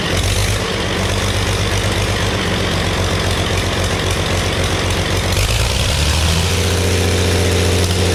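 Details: Early Case 930 diesel tractor, believed 1960, unstarted about 14 years, new filters, final filter primed, no exhaust manifold: loud uneven clatter, heavy low rumble, a couple of cylinders not firing cleanly, liquid from one; later ran out of diesel.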